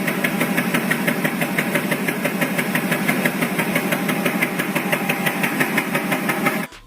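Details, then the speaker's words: Car engine at low rpm has an uneven, stumbling beat, about one and a half pulses a second, with lost power; the owner first suspected a dead coil or spark plug, but after teardown found neither coil nor plugs at fault. "Terus pada RPM rendah itu berbet ya, bahasanya tuh apa ya, kayak tersendat-sendat gitu pada RPM rendah. Itu masalahnya biasanya pada busi atau koilnya mati."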